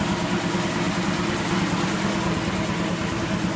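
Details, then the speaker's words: Kellogg American piston air compressor with pressurized oil system, electric motor drive, test run building past 100 psi: steady, even pumping thump a bit over once a second with constant motor hum; runs smooth and healthy. "you want to make sure it spun and did what it was supposed to oh she sounds good nothing a little run time won't fix"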